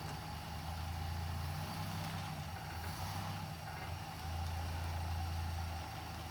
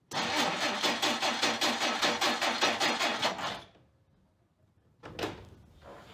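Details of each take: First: 1959 Plymouth Suburban wagon with 75,000 original miles, long-stored barn find, idling after its first start before being driven out. Steady low, even idle rumble with no ticking or misses; so quiet it's hard to hear it run. Normal idle. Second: 1959 Plymouth Suburban wagon, long-stored barn find, cranking after its points were dressed. It turns over nicely with regular cranking beats for three seconds, catches briefly, then dies. The ignition points apparently need further dressing.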